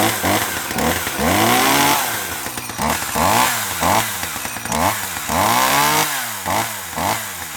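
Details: 1984 Dolmar 100 two-stroke chainsaw, warm, after repairing its snapped throttle linkage: it barks up through repeated throttle blips and drops back cleanly to idle, running healthy.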